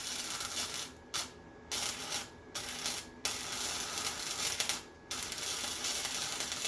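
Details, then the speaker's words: Harbor Freight Titanium Flux 125 flux-core welder, new, after turning heat down and wire feed up slightly: steady frying crackle in bursts of about a second with short pauses; stable arc, welds fine. Normal. "Yeah, I'm still gonna have to mess with settings and stuff a little bit, but it welds fine."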